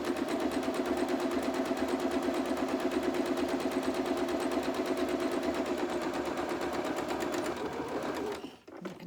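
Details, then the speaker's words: Sewing machine stitching steadily with a light, loose rattle as the bobbin thread runs nearly out, signalling a new bobbin must be wound. "can hear the death rattle going on in my sewing machine for my bobbin, so I'll have to wind another bobbin, but we're not far off finishing, but I'll probably need some more."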